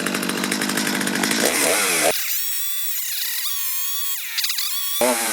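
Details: Stihl two-stroke chainsaw after carburetor adjustment, previously hard to start when warm and bogging; high buzzy wail dips and climbs with throttle, then holds steady clean pitch; runs healthy.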